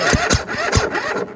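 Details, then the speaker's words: Husqvarna tractor with a Kohler Courage engine. A few heavy, labored cranking strokes slow and die within 1.5 seconds; it rolls over briefly, then stops. Others blamed too much compression; the owner suspects the starter. Unconfirmed. "so he says what it does is it rolls over a little bit and then it stops"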